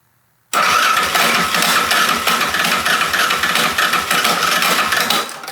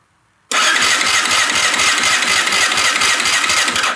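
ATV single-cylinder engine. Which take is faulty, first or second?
first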